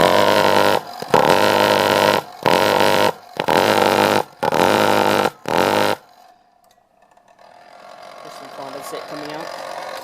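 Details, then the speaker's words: Lennox pulse furnace fed by a much-too-small natural gas line after the blower purge and igniter: about five loud roaring bursts with uneven gaps over six seconds, then it dies out; erratic pulse combustion from gas starvation. "So yeah, it kind of, it's really inconsistent because there's just not enough natural gas getting through this little tiny pipe."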